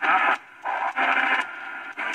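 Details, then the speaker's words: Arbor Day Foundation CN-R1093FM radio on AM: choppy bursts of hissy static as the tuning dial moves. The owner suspects either the DSP chip or the tuning wheel, later guessing it is probably the chip. Unconfirmed. "I don't know if that's the DSP chip or if it's the tuning wheel, the dial going on there. There's just a... Let's see if it gets louder."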